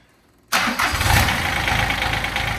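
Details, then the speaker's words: Toro Workman 3300D/4300D diesel utility vehicle bought in pieces at auction, missing its starter, water pump and alternator, not under load: it catches at once and settles into a steady, even idle clatter. It runs well, though compression is an open question. "huh seems to run good pretty good I think it's worth putting a little bit of money into"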